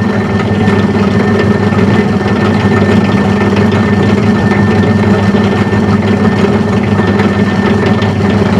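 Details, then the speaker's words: Metal lathe with its change gears just put back in service for thread cutting, running with speed raised a little; steady whir with a constant faint high whine over a low hum from slightly worn change gears meshing. "change the speed up a little bit now you hear the gears is gone the worn a little bit are now visible"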